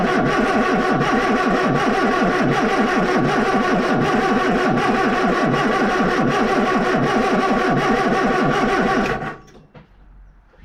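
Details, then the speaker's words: Austin Allegro 1300 Super, cold, after months stored, cranking on jump leads: steady starter churning about three beats a second for nine seconds without catching; long crank, cause unclear. "Took a few turns to get her to start, but I purely think that that's just because the fuel had to pump around. So that's the disadvantage of having a mechanical fuel pump, because you've got to rely on the engine turning over and over and over to pump the fuel up."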